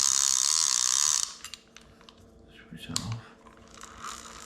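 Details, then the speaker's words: Daiwa Sealine Slosh X40 fishing reel, about 22 years old, just serviced and reassembled: crisp, evenly spaced star-drag ratchet clicks for about a second. Normal reel ratchet. "knowing that it clicks on that star drag just so you can hear it working"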